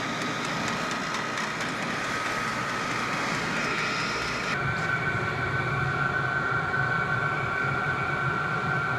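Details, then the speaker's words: VEVOR diesel heater, first startup once fuel reaches it: a blower roar builds as combustion catches and the pump works hard, then the tone shifts and settles into an even run. Normal startup. "Sounds like it's speeding up, so. Yeah, it's really pumping the shit out"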